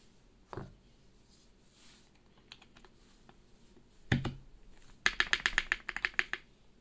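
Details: Keychron Q1 keyboard with Gateron Box Black Ink switches, Durock V2 stabilizers and GMK keycaps, after fixing a popping spacebar with masking tape on the stabilizer stem: crisp, even clicks in a quiet room, no popping or rattle.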